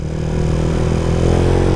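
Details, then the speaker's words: Sniper 150 under way in second gear after valve clearance adjustment (0.08 intake, 0.10 exhaust): steady smooth engine drone with hardly any valve ticking, throttle feels responsive; valve train quiet and healthy, normal running. "Second gear. At wala tayong masyadong na didinig na pitik. Maganda. Very good."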